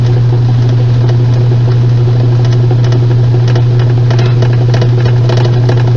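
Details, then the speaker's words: Washing machine on spin: loud steady low hum with loose, irregular knocking about once a second and abnormal movement; the transmission is completely damaged and needs replacing with a new one. "este ruido es de una transmisión que está completamente dañada y este movimiento es totalmente anormal esta transmisión hay que reemplazarla por una nueva"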